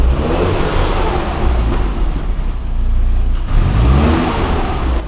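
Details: Mercedes W202 C230 Kompressor with replacement M111 engine and manual gearbox, fitted after head gasket failure, car also has LPG: catches and revs up and down cleanly with a smooth even drone, no knocks or rattles; healthy.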